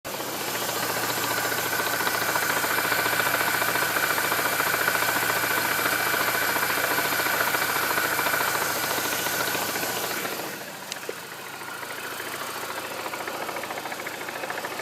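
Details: Mini Cooper R53 JCW petrol engine near idle. Steady, rapid knocking at about three to four beats a second. Cause suspected but not confirmed.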